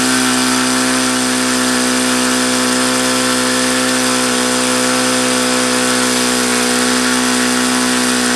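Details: HP VT 21 rotary-valve four-stroke model engine on Omega control-line fuel: steady high-pitched buzz that stays fast with the throttle closed and never drops to a slow idle. It will not idle down despite leaning the low-speed needle and trying several plugs.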